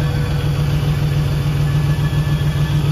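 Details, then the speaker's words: Rock crawler that starts hard and runs rough at first, smelling of fuel, then cleans up; a fuel pressure tester is fitted on the feed line. Steady, even low idle with a regular pulse and no misfire or stumble once settled. "it only does this on Startup after it does that it acts fine"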